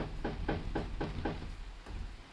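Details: Reliant Scimitar GTE SE6A suspension: a dull clunk with each rock of the wheel, about four a second, then fading; heavy free play on both sides from worn upper arm bushes, which will probably need replacing in pairs.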